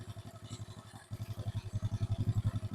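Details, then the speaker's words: Chinese Ryuka motorcycle, valves re-adjusted after valve noise heard on run-in start, new chain and sprockets, after repair: low, even idle putter with no sharp top-end tapping, quieter than before; valves now properly adjusted. "ก็เงียบลงกว่าเดิมอยู่นะครับเงียบลงกว่าเดิมอยู่แล้ว"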